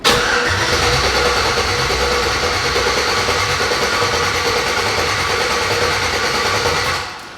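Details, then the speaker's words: LS-swapped Chevrolet S10, open-headers first start with a fuel bucket setup, in park: even rhythmic cranking for about seven seconds that never catches or fires; crank no start, not getting fuel, possibly an ECU setting. "that sounds almost like it's not getting something though something is not getting"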